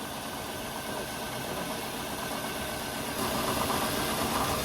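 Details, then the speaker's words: 2002 Toyota Camry with weird engine noise/rattle, engine cover off, idling while each ignition coil is unplugged in turn; note drops to an uneven, lumpier beat, so that cylinder fires properly and is not the fault. "so see how the engine noise has changed if the engine noise changes that means that is not the source of the problem"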